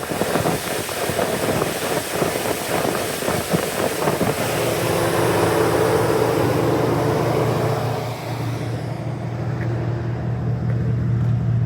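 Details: Cold start at about 100 degrees ambient, so not truly cold: uneven idle with stumbling beat and periodic dropouts under wind noise; cold start misfire on cylinder 2.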